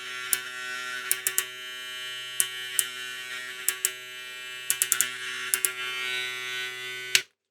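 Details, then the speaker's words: Electric clipper with the new Zircon/Rosius blue blade. Steady high buzz with irregular clicks that change when the lever moves; owner suspects the blade touches the lower part of the carriage and may need it tightened. "Es que la cuchilla parece que toca en la parte de aquí abajo del carrito de aquí. Creo que puede ser eso que hace ese sonido."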